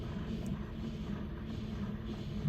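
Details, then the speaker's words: 2009 Kia Sorento G4KE, 230k km, AWD automatic, gas-fuelled, before warm-up: steady low engine rumble with faint constant hum; power steering pump making strange noises — suspected power steering pump noise. "какие-то странные звуки издаёт Хотя его не сливали Давайте посмотрим что там у нас с гуром"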